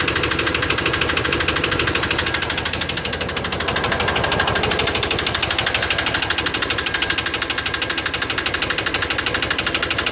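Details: Chevy 350 5.7 L V8 after intake manifold gasket replacement: sharp, even top-end tick about three times a second at idle, attributed by owner to low lubrication.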